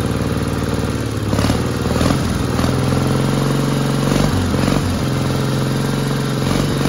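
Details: 1960 Onan industrial engine for a homemade Model T replica truck, first start in many years: steady even low drone with no misses or knocks, healthy running after the fuel pump butterfly valve position was changed.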